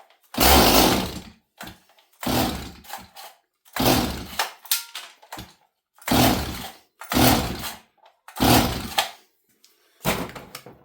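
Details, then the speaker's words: Stihl 026 chainsaw that leaned out on its first cut after a rebuild: it fires on choke in short loud one-second bursts, then cuts out each time; owner suspects it isn't getting fuel, cause unconfirmed. "interesting so I reckon for whatever reason this saw is not getting fuel it was I don't know why it's not now"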